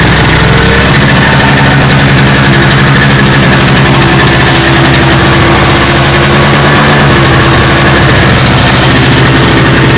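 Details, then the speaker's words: Toro CCR 2450 two-stroke snowblower after repair, on fresh 40:1 mix with stabilizer (spec 50:1); steady idle with busy, even putter, no misfire or hunting: fixed, normal running. "oh that's fixed it's done"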